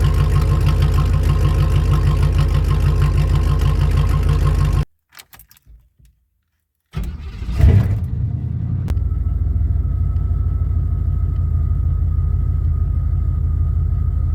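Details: 1988 Formula Firebird with swapped 1992 Z28 5.7 TPI 350 engine, after installing a new AC Delco fuel pump: engine runs, shuts off, then cranks briefly and catches, settling into a steady, low, even idle; normal start and idle.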